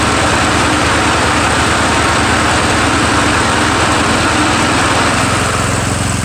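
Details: Murray 17.5hp riding mower with 42-inch deck after new Stens 265-031 deck belt and deck install, gas leaking at the side: loud steady drone holding even speed while cutting, no misses, surges or knocks; PTO clutch slightly sticky, normal running under load.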